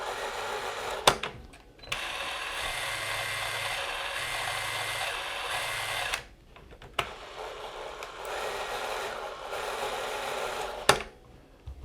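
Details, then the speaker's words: Eumig 128 XL cine camera after maintenance, running at 36 fps: the earlier squeal is gone and the motor runs quieter. Even, soft whirr in two steady bursts with clicks at start and stop and no squeal; normal camera drive. "значит, что тот визг, который у нас был, исчез. 36. И поэтому двигатель стал работать тише."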